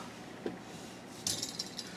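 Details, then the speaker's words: Samsung oven fan motor turning slowly with light metallic ticks and rattles as the bent fan blade, loose on its hub, wobbles and catches; source of the oven's noise. "yeah you can hear it so because the fan blade is all bent you can kind of hear it the way it wobbles on there"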